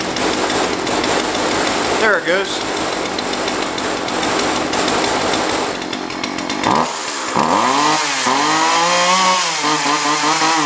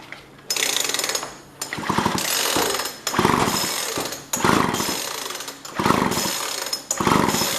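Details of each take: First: Jonsered 2036 Turbo two-stroke chainsaw from a neighbor, non-running before repair, cover off, now starting: catches and keeps running with a rising, wavering buzz as it revs up before warm-up; normal running. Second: Jonsord 2036 Turbo chainsaw, plug dry but spark good: repeated pull-cord bursts about once a second and the engine never fires or catches; no start because no fuel is reaching it, as the fuel line was disconnected.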